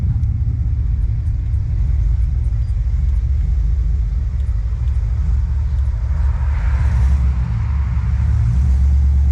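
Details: First start-up of a high-mileage 21-year-old GMT800 Chevy Silverado/GMC Sierra 1500 V8 with used long-tube headers just installed: deep, steady rumble, brief throttle rise near the end, even firing, no ticks or knocks; normal.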